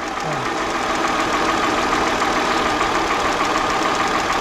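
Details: 2010 Hyundai Grandeur TG Q270 Luxury, about 71,893 km, at idle: steady idle with a fast, fairly even ticking knock about three per second riding over it; source not pinned down, cause suspected, not confirmed.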